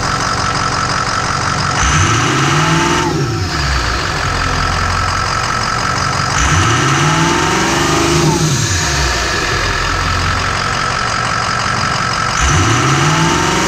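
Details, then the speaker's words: 2004 Ford F-250 6.0L Powerstroke diesel after installing new charge pipes, a coolant filter and an external transmission filter. It revs up and down smoothly with a stronger, even exhaust rush and no knocks or leaks heard. Normal running. "you can hear like the you can hear the air coming out of the exhaust almost a bit more which is uh always nice to hear um that's I think much better than it was"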